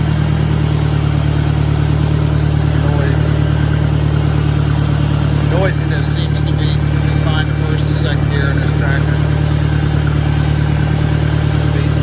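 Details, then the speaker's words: 1965 John Deere 1010 tractor (less well maintained) at 1000 RPM, likely in reverse: steady engine with constant low drone and dull gearbox whirring. Owner suspects worn roller bearings, shaft end play needing adjustment or bad cage bearings. "to believe that there's issue the transmission you know whether the roller bearings are worn or shaft inway needs to be adjusted or cage bearings are bad but there is a difference"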